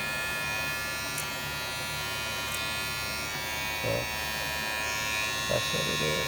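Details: Wahl clipper with premium red guard after rattle fix (bending the guard's small metal piece): steady, even buzz with no guard rattle; sounds healthy and quiet.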